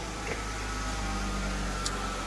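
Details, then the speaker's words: 2012 Hyundai Genesis V6 with 95,400 km: a thin, steady whine over a smooth idle, also heard while driving. Said to be common on these V6s; the idler or tensioner pulley is suspected; to check, remove the belt and spin each pulley by hand for roughness. "i think you can already hear it it's making that so what it is a lot of the time is uh the idler pulley that one or the pulley on the tensioner one of them"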